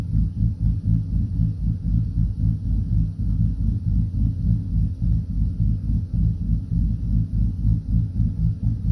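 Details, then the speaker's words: 2012 Silverado V8 with a bigger cam and Circle D converter, idle being tuned around 700–780 rpm: deep, lumpy, even lope about four beats a second, settled near 770 rpm, healthy. "ck up now it's just steady with that potato potato potato potato potato got that got that thump thump to her"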